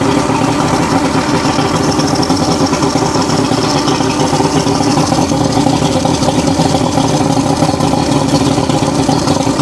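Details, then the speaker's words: Roughly 40-year-old 1980s Mercury 150HP Black Max V6 two-stroke outboard running again during repair: steady, even drone with clean revs, no misfires or stumbles; sounds much better, running smoothly. "We're trying to see if this engine's going to run again. And it's unfortunately getting to the point to where you almost have to uh order online just to get any of this stuff. >> That sounds a lot better."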